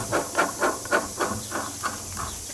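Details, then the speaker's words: 2007 Suzuki LT-A450X front differential teardown, run dry of oil: hand-spun bearing grinds in gritty pulses, about four a second, fading as it slows, rough and corroded. "well as in grinding you think even the bearing on the other side sounds better than that"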